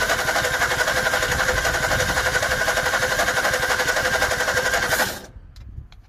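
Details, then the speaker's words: 1961 Ford Falcon Futura parked 20 years, some water in oil: fast even cranking near four per second with a few firings trying to catch, then stopping; won't quite start, choke suspected, unconfirmed. "i know she's trying she's just not quite there"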